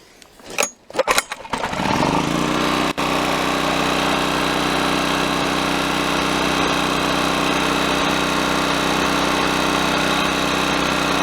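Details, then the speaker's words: Honda EX1000 generator after carburetor cleaning: a few pulls, catches in about two seconds and settles into a steady even hum without surging; float bowl had water and dirt causing interference, now runs properly. "well it sounds good now folks that's all it took just a foot off the float ball needed to be cleaned out"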